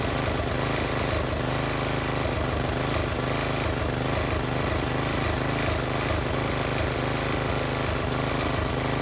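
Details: Old Briggs and Stratton-powered Polan Pro tiller, left sitting for years, now fitted with a new China-made Amazon carburetor, new plug, new air filter, new fuel line and filter. Idle screw set high so it won't idle down; steady, even chugging with no misses. Runs normally.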